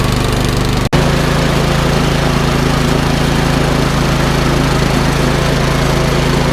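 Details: Troy-Bilt Storm 2410 snowblower with a Power More engine, which had a stale-gas-fouled carburetor. After the carb repair and idle screw adjustment, while warming up, it holds a steady, even drone after one brief dip near the start, running smoothly and clean.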